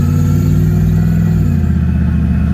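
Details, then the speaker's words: 1986 Chevrolet Camaro IROC (3rd gen) test drive: deep, even engine note pulls cleanly and drops smoothly in pitch on gear change, no stumble or misfire, flat spot gone, no check engine light; normal running under acceleration. "but it doesn't have that flat spot anymore we don't have any uh check engine light issues"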